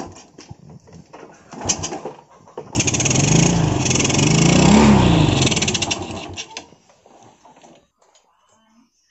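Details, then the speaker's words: 2014 Yamaha Vega RR, hard to start: a few weak cranking attempts, then a rough uneven idle that dies after seconds; runs only when choked. Owner suspects compression loss from leaking valves, not confirmed; engine to be disassembled. "jadi itu dia guys kendalanya jadi motor itu susah hidupnya pengen hidup pun harus karburatornya ini harus di Cup ya guys"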